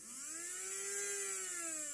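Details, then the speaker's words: Hornby J15 model locomotive motor running free without gears, unchanged after an hour of running-in: high buzzy whine climbing and sagging with speed; armature or flywheel imbalance suspected. "I can only think that the armature, or maybe the flywheels or something, is badly balanced. But, I don't think this motor's going to quieten down anytime soon."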